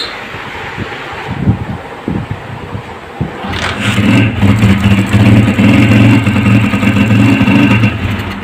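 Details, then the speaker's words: Motorcycle run on petrol from a bottle, slow-running problem: catches after a few cranks, then runs with an uneven, stumbling beat and dropped firings; heavy missing, spark plug removed next for checking. "दोस्तों यह missing बहुत ज्यादा कर रही है अब इसका सबसे पहले हम यह तिलक खोलेंगे"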